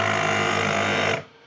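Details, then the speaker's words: Onboard air compressor on Toyota Tacoma truck camper, tanks fully pressurized: soft steady whir of built-in fan cooling the motor while compressor pump is off; normal. "There is a fan, and that fan is just blowing air, I believe, across the motor to keep the motor cool."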